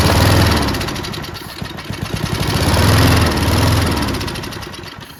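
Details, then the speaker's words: Junkyard Bob-Cat push mower, running on brake cleaner before carburetor cleaning: steady low drone rising and falling smoothly with speed, no knocks or misses; motor sounds okay, expected to run once carburetor is done. "Well, if we go through the carburetor, I think it'll run, be able to mow it. It actually doesn't sound bad."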